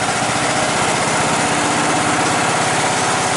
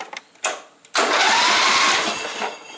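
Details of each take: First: John Deere Sabre lawn mower, choke on: small single engine fires and runs fast and rough about six seconds, then winds down; hard starting, owner suspects poor fuel flow and plans shortening the fuel line. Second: John Deere Sabre lawn mower after new ignition switch fitted and battery put in: steady, strong starter whir spins the engine about two seconds with no clicking or dragging; normal cranking.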